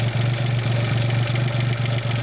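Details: Geo at full operating temperature, idling after a few revs: steady idle with a light, quick clattery clacking on the engine note; owner suspects lifter tick, sometimes louder, and is unsure whether it's normal.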